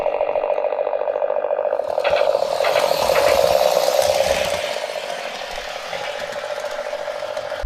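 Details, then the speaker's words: MTH Galloping Goose Proto 1 locomotive after cleaning the rollers and fixing the rear roller, having earlier not moved: steady, even mid-pitched motor whir with light mechanical rattle and no stumbles; runs smooth and solid. "I think the roller cleaning did it, plus fixing that rear roller. Nice and solid."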